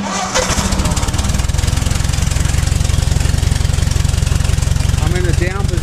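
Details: Ford 641 tractor started in neutral after a hydraulic piston pump rebuild; the engine catches and settles into an even, steady thump of about 220 beats a minute, no knocks or misses. Normal running.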